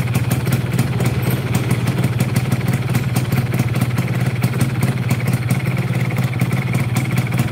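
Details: Yamaha F1ZR two-stroke that is hard to start, overheats quickly, has a rough clutch, vibrates and pulls weakly, at idle: rough, uneven clatter with vibration from the middle of the engine, less audible at the piston; worn connecting rod big-end bearing.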